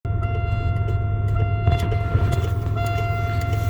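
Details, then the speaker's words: 2003 Buick Regal with engine running: light quick clicks, a few per second, from under the dash near the light switch, over the engine rumble and faint whine; clicking stops when the light switch is fully pulled. "that is the noise you hear i will plug in the so it's over here the noise by the lights and it's over here under the dash somewhere now if i pull the lights on it stops what could that be"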